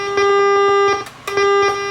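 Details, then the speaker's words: Pyle amplifier stress test, output turned up: test tone comes out harsh, buzzy and gritty, breaking off briefly and returning; badly distorted output, scope trace looks poor; owner suspects the preamp input is being overloaded, not confirmed. "Let's crank it up. Oh, now I hear lots of distortion. Well, that doesn't sound good. Doesn't sound good at all."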